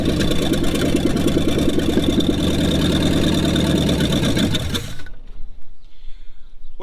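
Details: Classic 1966 Mustang 289 V8 sitting over 20 years, fuel line fed: engine catches and runs unevenly about five seconds then dies abruptly; won't keep running on its own, cause not confirmed.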